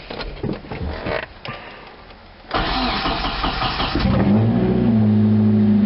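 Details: Car started in neutral just after a Dual ISR exhaust pipe install: handling noise, then it cranks, fires at once and settles to a smooth steady idle with a deep even drone. Normal start.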